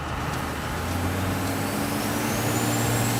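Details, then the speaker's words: Roadkill ramp truck diesel on its first road test in years, driven without a hood: a high whistle climbs over the pulling engine as the turbos spool under load; a loose clamp later causes a boost leak. "I've never driven it without a hood. Oh my god, it's working. I hear the turbos,"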